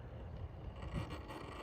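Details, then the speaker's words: Rlaarlo HY6 RC crawler coasting downhill with throttle held steady: an uneven, stuttering low whir as the motor catches and releases, i.e. cogging; cause unclear, the ESC is also suspected of being underpowered. "But it does have really good low down control. I mean, it should Oh, yeah. You hear that? Yeah. That's the motor catching up the drive yet."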